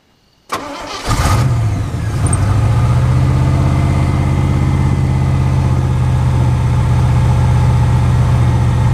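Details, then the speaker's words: Chevy K1500 V8 truck running warm with the throttle held after the starter wiring was fixed, showing about 45 psi oil pressure. It settles into a steady, even low rumble with no knocks, misses or backfire; it runs good. "it pink runs good"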